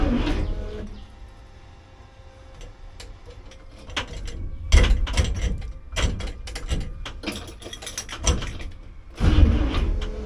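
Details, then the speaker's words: 1964 International Harvester Travelall C1100 with new starter, in second gear, foot on brake: irregular heavy clunks and short starter bursts, drivetrain jerking but not freeing; clutch seems stuck engaged, attempt to free it unsuccessful. "So, I'm still not getting any transmission. Uh, that's kind of a bummer. All right. So, that particular operation was not successful"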